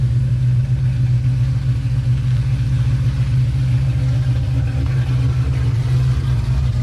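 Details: 2005 Pontiac GTO back from the track, engine running: deep, smooth, even rumble with no ticking, knocking or misfire; motor healthy, but the car barely moves, slipping above 4–5 mph from a rear-end problem.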